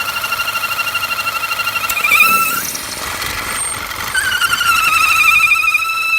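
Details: 2009 Audi A4 2.0 Quattro, started after sitting a few days, rough idle and power loss: torn PCV valve diaphragm gives a loud steady high whistle wavering over a pulsing idle; replacing the diaphragm fixed it.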